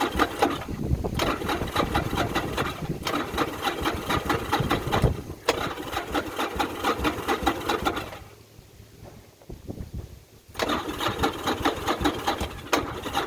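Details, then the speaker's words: Newly bought titled motorcycle with straight-looking pipes: loud lumpy open-pipe idle with uneven loping beat, briefly dipping then recovering; runs great, normal idle. "And we got the bike home, got a title, it runs great. Matter of fact, we can fire it up right now just to hear it run."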